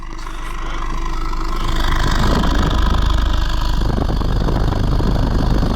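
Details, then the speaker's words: 2015 Honda Civic 1.8 after oil change, exhaust heard at idle: smooth, even low burble, no misses or knocks, firing well on all four cylinders; normal healthy idle. "firing really good on all four cylinders so it's in pretty good shape"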